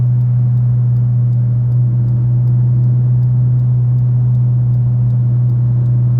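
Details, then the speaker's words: Fiat Uno Way, 2011 or 2012, cruising in gear above 100 km/h with a loud whistle-like drone over road rumble that rises with speed. It stops when the clutch is pressed; the source is unknown despite several parts being replaced. "Ó, chegar no 100, ó, ele engatado, ó o barulho, ó, aumentando, ó, a altura. Eu não sei que barulho que é esse. Se eu pisar o pé na embreagem aqui, ó, o barulho para. Mas esse barulho só faz acima de 100 por hora."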